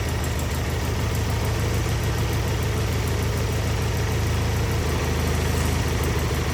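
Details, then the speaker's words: Wheel Horse 520H with Kohler engine, revived after sitting, running on its own gas tank during a test drive: steady even low thump at constant speed with no misses or surging; hydrostatic drive working, normal running. "well that's weird all right test drive successful I mean it runs great the hydrostatic rear end's working perfect"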